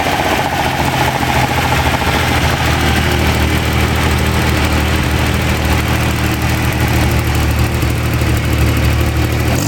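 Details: Freshly rebuilt Ferrari Dino 246 GT engine, fully restored and run on a small test stand before final installation, with oil pressure, water temperature and exhaust being checked: strong, even note, deep steady beat, no knocks or ticks; normal running.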